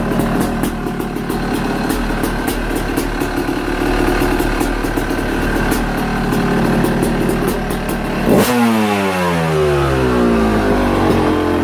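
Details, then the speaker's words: Yamaha YZ250 two-stroke, after straightening the bent subframe and cleaning a sooty air box: crisp, even crackle at a steady idle, then a clean rev rising and falling smoothly; sounds healthy. "and it's nice and straight well it sounds good sounds stock but it sounds good"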